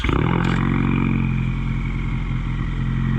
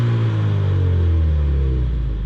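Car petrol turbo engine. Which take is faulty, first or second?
first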